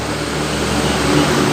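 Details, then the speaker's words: MX motorcycle with radiator fan not switching on when hot, fan jumpered to test: steady even whir with low electrical hum, no rubbing or rattle; relay and fan both good. "Nah itu langsung jalannya kipasnya Hai terlihat yang sangat motivasinya jalan ya lihat di sini nah itu artinya relay nya bagus dan kipasnya bagus"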